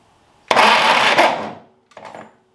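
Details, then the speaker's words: Ferguson TED20 tractor, first start attempt in 5.5 years after restoration, fuel and spark confirmed: about a second of sluggish starter whirring that dies without catching, then a weaker try; owner suspects a weak battery. "I might change the battery I'm not convinced this batter is as strong as it should be"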